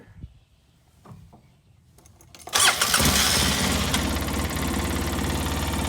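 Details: 2005 Polaris Ranger XP 700 EFI after throttle cable turned twice clockwise to cure too-high idle (following throttle body and TBAP cleaning); cranks briefly, catches at once and settles into a steady, even idle with no surging; normal idle.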